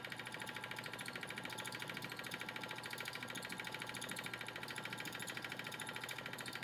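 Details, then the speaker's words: 10" x 18" wood lathe turning a just-under-7" x 4" blank on a faceplate, remounted and retightened: even steady spin with light regular pulse about three per second from the still-uneven blank; some wobble remains but much improved. "amazing still got some wobble but that's what I expected cuz it's still not even but wow what a difference"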